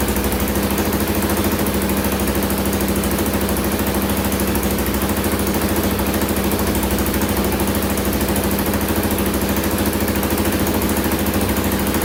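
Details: 2000 Can-Am DS650 quad, single-cylinder 650cc, after lowering idle on carburetor: quick even beat holding steady, no stumbles or misses; normal idle.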